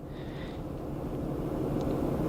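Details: 2004 Acura TL 3.2 V6 on a cold, rainy day with a blinking check engine light and code P0300: uneven, lumpy, choppy idle from a cylinder 4 misfire, traced by coil swap to a bad ignition coil.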